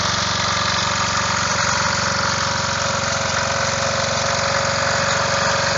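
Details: Revived old Snapper riding mower, 12.5 hp Briggs & Stratton single, after years sitting: steady putter at fast idle, firing evenly, no misses or knocks; runs normally.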